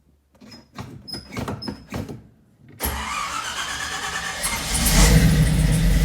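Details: 1962 Corvette with 1963 Latham supercharger, cold start after about 3 weeks sitting, carb fuel evaporated, cranked 3–4 times then pumped 4 times: about four slow cranking pulses, a pause, then it catches and settles into a rising, steady idle; normal cold start.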